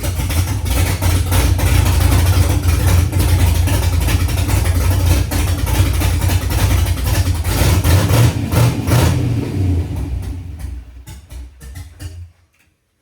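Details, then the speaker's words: LS V8 swapped into a 1968 Ford F100, first start with no O2 sensors fitted: deep, uneven, lumpy idle with a few blips before shutoff; runs rough, but the engine itself sounds healthy. "I'm super hyped on that motor sounds pretty good it's obviously still running like crap it's got no O2 sensors or anything in it"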